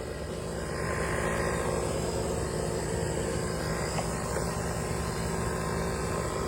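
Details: Jaguar engine that started making an odd noise and smoking a bit: dense, rough low rumble; sounds like a rod knock, needing a rebuild or replacement engine. Abnormal engine noise.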